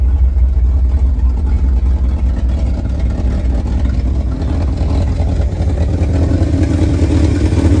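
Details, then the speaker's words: 1971 Ford F250 V8 after 9+ years sitting, on a junk carburetor, idle about 650–800 rpm: deep, steady, smooth burble; idle improving and sounds good for that carburetor. "Idle's about 800. Maybe 700. It's getting better. For a carburetor, it sounds good."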